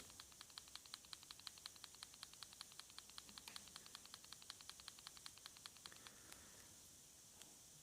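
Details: Samsung Galaxy Note 4 shaken with the camera off and then on: quick, light ticking about six times a second, dozens in a row and dying out near the end; the camera module is rattling inside the phone.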